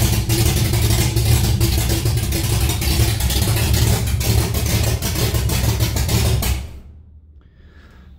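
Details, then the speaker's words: Holden Torana LX engine on its second start, the day after cam break-in, running straight out of open extractors with no exhaust fitted: very loud, raw, rough roar with coarse low pulse and no muffling, then cuts off. "As you can tell, it's very loud and my ears are ringing and the neighbors are going ballistic."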